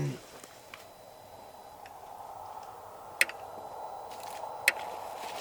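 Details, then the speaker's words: Electric fence energizer with gauge in green: crisp single ticks about every second and a half outdoors; each tick means the fence is live, normal operation. "so it's in green you hear the ticking every time it ticks that thing is hot"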